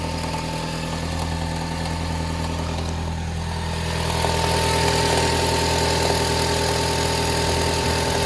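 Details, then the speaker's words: Toyota Harrier 5S-FE, cold start, idle about 1500 rpm: fast, fairly regular light ticking crackle about three per second over steady hum; four-month problem, vanishes once warm, mechanics can't identify it, loose plastic suggested but noise increasing. "Какой-то треск стоит, не могу понять, что за треск. Когда машина прогреется, треск пропадает. Но как только заводишь на холодную, какой-то треск стоит."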